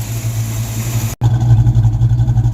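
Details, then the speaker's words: Jr's Mustang project car after the alternator harness was replaced with basic wiring and the battery and everything regrounded: steady, deep rhythmic idle with a brief drop-out, then an even beat; normal idle. "It sounds really good though. Do that again. Not as bad as it was."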